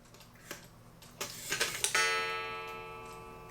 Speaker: it gets stuck because it's hanging up or something in there and so now i'm gonna find out what that odd noise was that causes it to do that